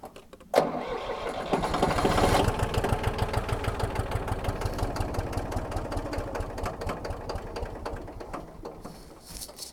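Starter turns the engine over in steady, rhythmic pulses about three per second that fade off without ever catching; it cranks but won't start.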